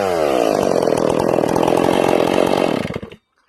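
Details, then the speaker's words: Ported Stihl MS461 chainsaw, not broken in, high-speed jet richened another quarter turn on purpose; at full throttle it burbles and breaks up unevenly instead of screaming clean, rich four-stroking. "I'm going to take the high jet. I'm going to give it like another quarter turn. I'm going to make this saw really rich so you can hear it."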